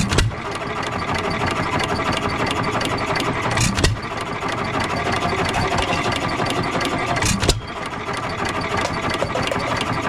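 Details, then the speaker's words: Economy 3 HP Model 3G engine, believed 1923, auction buy: slow steady chuff with a firing pop every few seconds, coasting between hits, smoking a little; owner unsure about connecting rod but no knock heard, normal running. "so she's running she's smoking a little bit I don't hear the connecting rod doesn't not sure if connecting rod is bling or not"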